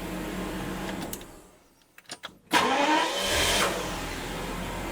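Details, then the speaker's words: Daimler Double Six (Jaguar XJ12) V12 that arrived with a no-start and no charging; after the fix, repeated restarts test the starter, about 14.1 V: engine shuts off, turns briefly, catches at once and revs cleanly. Normal cranking and start. "That is perfect. I think we fixed the issue."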